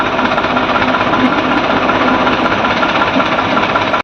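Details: HMT tractor, diesel running slightly above idle after gearbox/hydraulic oil change, steady clatter with hydraulic lift raising fully and working smoothly, no grinding or knocking; hydraulics now OK, healthy.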